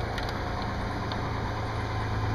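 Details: 1993 Ford F150 4x4 4.9L 300 straight-six, no-start with DTC 542 fuel pump secondary circuit fault, fixed by replacing the fuel tank switch: starts right up, steady even idle, smooth low rumble, no misses or knocks; normal idle.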